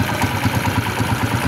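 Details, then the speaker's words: Hard-starting, misfiring, stalling TMX 155 after socket wiring repair: even steady single-cylinder idle, no stumbles or dropouts even when wiring is moved; normal idle. "ayan, hindi siya namamatay. Kasi ang talaga problema madalas nito dito lang sa akin na to."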